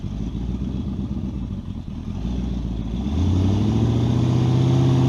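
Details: Model A with a 350 small-block Chevy (hydraulic roller cam, 9:1), tunnel ram with two Edelbrock 600 cfm carbs jetted lean, in a driveway test: low, lumpy burble rises in pitch but sounds flat and labored when floored; owner unsure if rich or lean.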